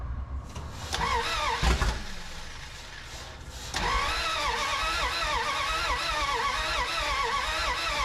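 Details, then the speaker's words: 1981 Dodge D150 cranks but won't start: rhythmic wavering starter drone about three turns a second, no firing pulses. No coolant in engine, only about a gallon of gas; owner suspects not enough fuel, needs to fix leaking fill neck. "yeah we might have to sort out that fuel issue at the back make sure we can get enough gas in it before we can actually get it fired off because I don't think I'm I don't think I'm getting enough because State running by now"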